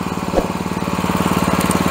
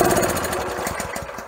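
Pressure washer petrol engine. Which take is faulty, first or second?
second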